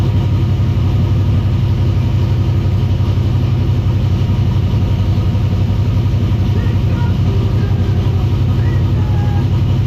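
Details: V8 idling just after a very loose belt that was causing racket was tightened, warming up with the temperature gauge not reading: deep, steady idle with an even beat and no belt chirp or squeal; smooth and healthy.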